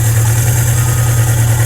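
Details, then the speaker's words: 1982 Suzuki GS650G motorcycle, carbureted with manual choke, 124 miles since revival, warmed up: deep, even, steady idle with no knocks or stumbles; runs well. "and warmed up it runs really well i'm real happy with it"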